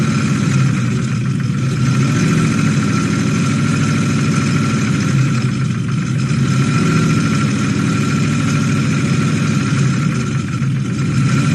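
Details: Toyota 1UZ-FE V8 with an oil pressure issue that blew up the engine, after an oil change and a collar filter with drain-back were fitted: rough, uneven idle with a loose, clattery low rumble; the front cam pulley had fallen off.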